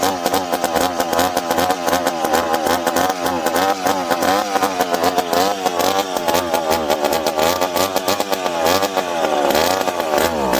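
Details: McCulloch PM700 chainsaw after porting, first start after rebuild, fuel pumped into carburetor: small two-stroke catches and revs sharply up and down in quick blips, pitch climbing and dropping freely with each throttle stab.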